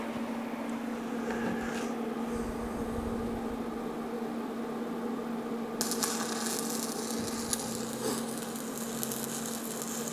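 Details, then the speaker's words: Stick welding with a new Lincoln Square Wave welder at 125 amps using 7018 rod; steady frying crackle with faint hum, smooth stable arc welding well, though thin bottom material is being eaten into; normal arc. "It sounds good. Yeah, it's welding pretty good. 125 amps."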